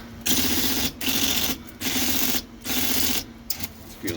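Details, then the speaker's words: IBM Selectric 1 typewriter after a new hub and stiff, sticky keyboard cleaning and oiling: bursts of quick, even key strikes over the motor hum, with no double strikes or hesitation; working properly. "really good now. No more doubling, striking."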